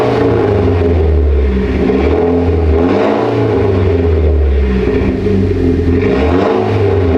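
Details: Mitsubishi Lancer Evolution X after rebuild, new brake lines fitted, fluids being topped off: steady deep engine note with gentle rises under light throttle, smooth and even, no knocks or rattles; runs healthy.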